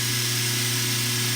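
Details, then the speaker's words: Circa-1940 Delta model T5074 repulsion induction motor after cleaning and commutator repair, bench tested: steady even hum with a clean whir, brushes riding on the commutator, kicks up to speed with barely a spark; runs smooth and healthy. "oh nice that runs very [Music] smooth oh that's great yeah I like it kicks right up to speed yeah it runs great barely even a little spark when it kicks in smooth makes a little bit of noise"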